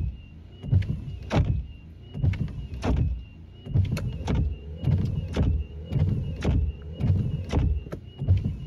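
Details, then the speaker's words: Wiper blades sweeping about every second with scraping, thumping and faint squeak on the glass before Rain-X treatment to reduce wiper noise. "hello in this video I'm going to be reducing or eliminating wiper blade noise even though a wiper blade may be in good condition or even in brand new condition the wipers may still make noise"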